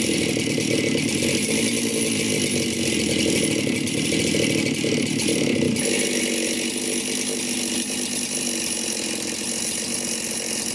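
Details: Chainsaw just reassembled after bench repair with a new gasket and the tune slightly adjusted, first run: a steady, even high-pitched buzz holding speed without surging or dropouts; running cleanly.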